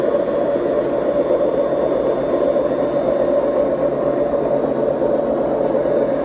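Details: BEKO washing machine, 7 years 8 months old, drum bearings gone bad: continuous heavy gritty roar as the drum turns, steady throughout, typical of worn-out drum bearings; machine to be replaced.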